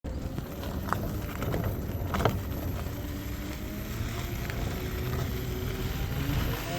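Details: Ola S1 Pro Gen 2 electric scooter riding: road and wind rumble with tones rising in pitch; light screech under hard acceleration. Owner suspects the pulley and plans chain lube spray there; cause not confirmed.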